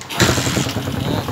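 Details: TMX155 single after a top overhaul with a 54 oversize bore, previously smoky and hard-starting: catches within a fraction of a second and settles into even, regular firing pulses; normal start, hard starting fixed.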